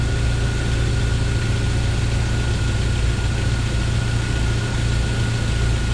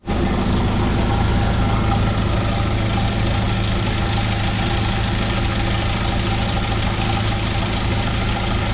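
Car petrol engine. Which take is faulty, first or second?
second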